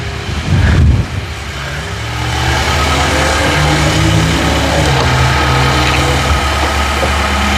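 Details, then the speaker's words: Auction car at start-up: brief clatter, then a steady, even idle with a smooth low drone. The motor sounds pretty decent, and no blow-by is seen. "All right, so motor sound pretty decent on this. Kind of like that."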